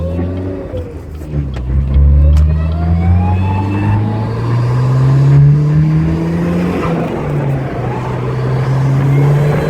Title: EFR turbo whine :(